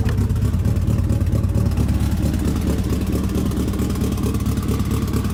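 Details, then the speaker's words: Nissan S14 SR20 just revived after fixing reversed fuel lines, new spark plugs, fresh oil and reconnecting the intercooler: low, throaty note with a steady pulse and a few throttle blips, settling into a regular, even idle; normal. "Let's let it idle for a bit."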